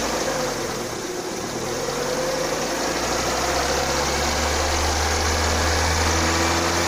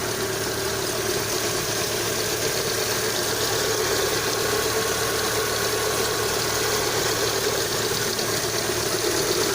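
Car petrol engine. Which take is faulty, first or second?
first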